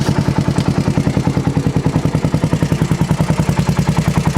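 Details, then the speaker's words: 400cc 4WD ATV that starts right up, with no steam and apparently not burning oil: light, regular clicking of about 3–4 per second over a lumpy single-cylinder idle. Mild ticking of unknown cause. "seem to be burning oil. It's a little clicky, but not that bad."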